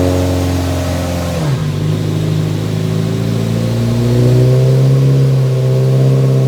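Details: Nissan 180SX Type X, SR engine, TD06 20G turbo, on the dyno at 15 psi with injectors maxed near 255 rwkw: revs drop, then climb and hold in a clean, strong pull with no stumble or misfire. Normal, healthy revving.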